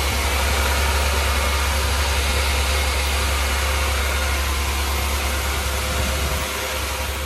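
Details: Honda Integra after LS-VTEC conversion, first start right after uploading the tune: deep engine note with an uneven, hunting idle that never settles, caused by a massive vacuum leak through a gap at the back of the throttle body.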